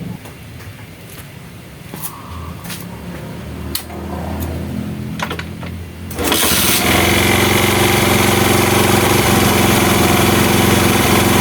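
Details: Honda Mega Pro mono that was hard to start and died at idle from an air leak. After sealing the leak, it starts after a few tries and settles into an even, quick putter; the air screw now adjusts properly.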